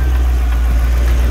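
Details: Lexus IS200 with 1UZ-FE V8 swap, modified Dash/AN6 fuel pump assembly with Walbro 450L/h E85 pump, fuel pressure just under 40 PSI: deep steady rumble, even beat, no misses, ticks or whine; normal idle.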